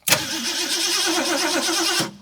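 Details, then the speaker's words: 1969 Ford Mustang, sat 30+ years: two seconds of even cranking without a single firing pulse. There is no spark despite new points sanded, a new condenser and 12.5 V at the coil. "Absolutely nothing. Let me check voltage again at the coil."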